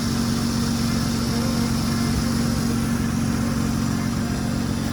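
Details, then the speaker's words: 2006 Acura TL Type-S 3.5 V6 after timing belt retimed and pulleys replaced (noise resembled lifters or a valve knock but came from the tensioner): smooth, even idle with a steady low hum and no ticks, knocks or whine. "como pueden escuchar no hay ningún ruido y el motor escucha super limpio súper suave muy suavecito"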